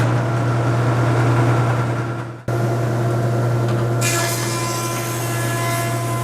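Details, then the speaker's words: Jet JP20 (208HH) 20-inch helical-head planer, about one year old: no-load motor sound, steady even low hum without knocks or wobble, pitch brightening as stock feeds; healthy. "It's got a magnetic power switch, which is a nice safety feature on planers. Have a listen to the no-load sound of the motor."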